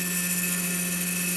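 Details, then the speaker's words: Chinese laser cutter stepper motor moving the head at 40 mm/s: steady droning hum near 190 Hz with a thin whine, lots of noise and vibration; resonance, possibly microstepping holding the motor back. "this is 40 millimeters a second a lot of noise obviously vibration going on and yes we're generating some resonance there that's at 40 so maybe that noise is actually the the microstepping holding the motor back"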